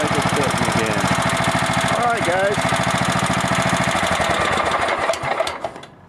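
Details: Kohler engine on a lawn mower that started cold but wouldn't restart warm, after repair: single cylinder fires and settles into a steady, even beat of about three to four pulses a second; runs clean; normal running.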